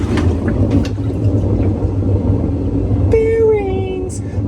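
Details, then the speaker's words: Maytag Bravos top-load washer MVWX655DW1 in spin with a steady, deep roar from a worn gearcase, also leaking down the center; fixed by replacing the gearcase, splutch and basket hub. "But this one is a gear case roaring."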